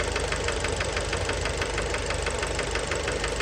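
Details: Fiat Bravo 2 1.4 T-Jet 150 HP at 215,000 km, idling after recent maintenance, close-up at engine: steady deep hard knock about 90 per minute from the bottom end; worn rod bearings, cause unknown, car scrapped.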